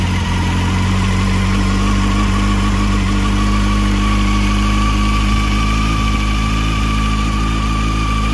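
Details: 2007 Honda CBF600 N-6 after the water pump leak fix, idling while the topped-off cooling system bleeds: a smooth, steady idle with an even hum and no knocks, ticks or rattles. Normal idle.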